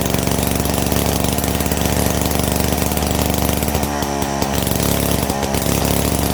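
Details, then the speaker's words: 70-year-old Victa 18 two-stroke mower after full engine rebuild (worn bore, rings, conrod), first test start: loud busy clatter with steady beat and even speed, no misses or stumbles; normal running. "Following the rather successful test start, it was able to get some new stickers."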